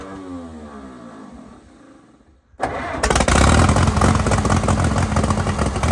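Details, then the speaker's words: 1952 Case DC3 tractor, first start after 15 years parked with tree grown through it: catches and runs rough with lumpy, skipped firing pulses; misfire, owner suspects choke partially on, later runs better. "up that's a fairly good L we're missing some here but we going to let it ride for a minute and uh see what happens"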